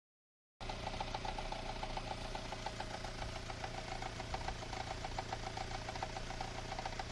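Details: Unidentified knock in the engine: a steady idle with a sharp, fairly regular tick-knock about three to four times a second; the source is not pinned down.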